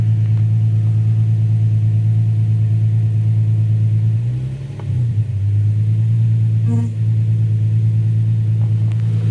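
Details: Infiniti G35 after O2 sensor replacement with thread-chased threads and battery disconnected overnight; steady even low exhaust rumble with a brief rev blip and smooth return; back to normal. Normal idle.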